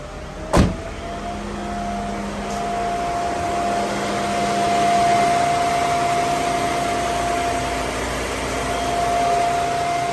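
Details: Mercedes SL500 at 46,000 miles, ABC tandem pump just replaced by a standard power steering pump and fluid topped off: quiet, even idle hum with a faint steady tone, no moan or growl from the steering pump, so it is idling healthily.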